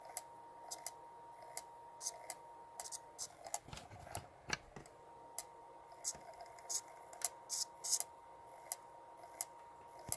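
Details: Vintage PlayStation 1 with disc loaded after reset: irregular light clicks and ticks over a faint steady whir; the disc drive keeps seeking and struggles to read the disc.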